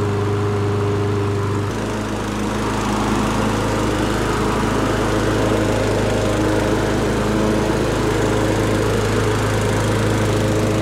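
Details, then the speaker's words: Toro Recycler Personal Pace push mower bogging while cutting, governed speed found at 2600 rpm, raised toward about 3200–3300 rpm by bending governor tab: engine jumps to higher steady speed, no hunting; normal governed running after fix. "i believe that the customer's problem about it uh bogging down it was the fact that it was only running at 2600 rpm and i think this one's going to be good to go"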